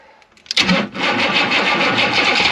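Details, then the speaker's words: Chevy G20 van with 6.2L diesel and filthy intake, started after glow plugs: cranks, catches, then rough lumpy idle with a miss and smoke. It can't exceed about 20 mph; owner suspects a timing problem. "it's kind of not backfiring but it's missing it's there's a there's a timing problem and you can hear it you can feel it"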